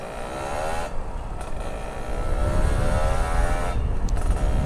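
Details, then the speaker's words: Kawasaki Ninja two-stroke after replacing a faulty battery that had sapped power and made the exhaust sound dull and tinny: crisp note climbing cleanly through the revs under throttle with steady pull, no misfire or flat spots; running healthy. "Kemarin Sius Motovlog nggak berani ngegas begini sih, karena memang nggak ada tenaganya ini motor ini cuy."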